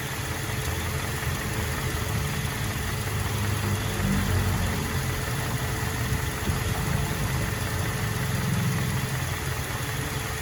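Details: Toyota Vigo/Fortuner 2TR engine: sharp metallic clicks and rubbing at the front when revving and releasing the throttle, from a hydraulic drive belt tensioner worn with age, typically around 200,000 km; fix is replacing the tensioner.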